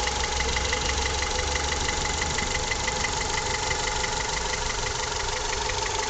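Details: Honda Accord F20B engine (CF4) at steady idle with a light, fairly regular ticking knock about three times a second; owner asks what is knocking. Source unclear.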